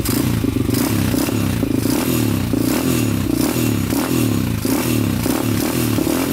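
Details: 2001 Honda 400EX quad, first start after a new stator: the single-cylinder holds a fast, raised idle that never drops, with the choke on and the throttle stuck high (cable needs adjusting); still smoking, possibly burning off old oil.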